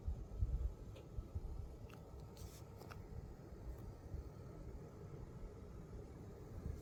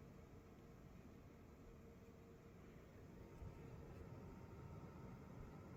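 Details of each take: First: Gainward Panther RTX 4080 Super running Cyberpunk 2077 with path tracing at 4K and DLSS Balanced: steady low-tone fan hum with faint clicks and slight coil whine, a bit louder than the previous 4080 but still acceptable. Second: Gainward Panther GeForce RTX 4080 Super running Cyberpunk 2077 with path tracing at 4K, DLSS Balanced, under heavy load: a steady low-tone fan rush with a faint thin coil whine above it; louder than the previous 4080 but still acceptable, possibly unit-dependent.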